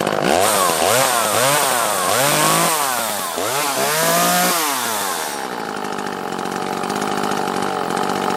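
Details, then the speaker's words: Echo CS-330T top-handle two-stroke chainsaw, tank refitted: clean rev blips then a steady, even high-pitched run with no stumbling. "let's see before we go adjusting our carb anymore let's uh get it in a running state here how it would be with our tank on there"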